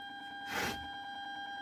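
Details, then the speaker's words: Remote-kit amplifier with USB board assembled over eight years ago: steady high whistle and hum only on Bluetooth, a ground-loop earth noise from a missing ground link. "இப்ப பாத்தீங்கன்னா ஒரு sound வரும் பாருங்க. ஒரு whistle sound மாதிரி ன்னு ஒரு sound வருதா?"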